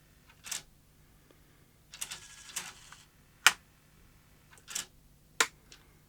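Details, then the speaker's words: 1989 Sony EVS1000E Hi8 recorder (Sony U-mechanism deck), reassembled with front panel disconnected: scattered clicks and short whirring bursts as the mechanism stops and restarts without settling; tape won't load, front loading problem, possibly light flooding the sensors. "doesn't seem right no it's not happy is it what we have is some kind of front loading problem which is odd"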